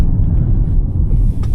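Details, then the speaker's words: 2019 Jeep Wrangler Unlimited Rubicon, 54,000 miles, dry-rotted cracked tires, on test drive: heavy low rumble with uneven thumping from the rear; first suspected wheel bearing, judged a bad rear tire, unconfirmed. "yeah it's definitely got a bad tire in the back she's just thumping them way back there"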